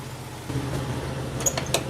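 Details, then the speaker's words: Jeep Cherokee XJ idling just after a new all-aluminum triple-fan radiator replaced a leaking junkyard radiator: smooth, even low idle with light metal clinks from handling, no misses or knocks, nothing leaking. It runs normally. "it's funny about that things don't leak when they're not broke little Jeep sure runs good nothing leaking"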